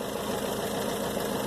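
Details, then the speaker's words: 1997 Dodge Dakota 2.5 L, 5-speed manual, warm idle before adding Reslone engine treatment: light quick steady ticking over the engine note; owner says the tap starts once hot and suspects a clogged lifter. "Something gets clogged in the hole, and it clogs it up towards where it causes a tap on the engine, and this is an easy way to help you."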